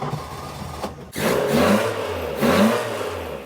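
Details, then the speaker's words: Mk2 Ford Escort with bike carbs and a used exhaust just fitted: loud, raspy, booming blips from idle, no quieter than the old system. Owner suspects a worn silencer or the bike carbs resonating. "still quite loud doesn't sound much different than the old system to be honest"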